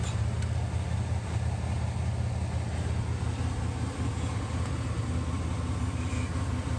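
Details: 1966 Buick Riviera GS crank no start while chasing spark and timing: steady low churning of the starter at about three beats a second that never catches or fires; engine cranks but won't start.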